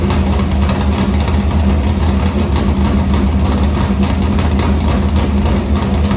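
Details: Morgan Machine-built V8 race motor (about 358), EQ heads, likely an Edelbrock Victor Jr two-barrel intake, 85 carburetor, started after sitting a week and a half with fuel line unhooked: loud choppy idle, steady cam lope, even firing; normal.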